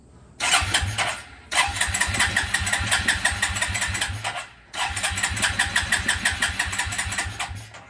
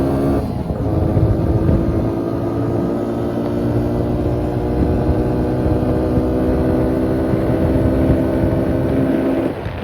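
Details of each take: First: 2000 Suzuki QuadRunner 250 4x4 ATV, about 25 years old, jump-started; two cranking bursts of quick, even chugging from the starter, about three seconds each, never catches; cranks but won't start. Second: 2000 Suzuki Quadrunner 250 4x4 with 603 miles, after it sat about 2 years, with the airbox lid back on: an even, steady single-cylinder beat with a smooth exhaust note and no misses or knocks. Running normally.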